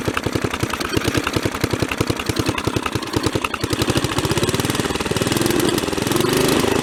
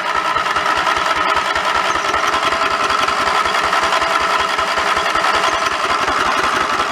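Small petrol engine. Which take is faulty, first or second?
second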